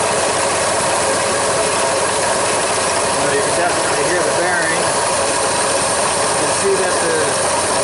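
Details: 1999 Ford F-150 5.4 L V8 running, with intermittent AC cooling, serpentine belt and pulley wobbling; harsh continuous raspy grinding from a worn AC compressor clutch pulley bearing.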